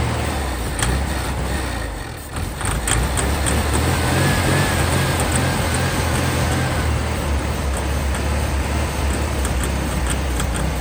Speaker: Yeah, I was spraying he's it. spraying it the whole time. That's why it's doing that noise. Yeah, it's knocking, right?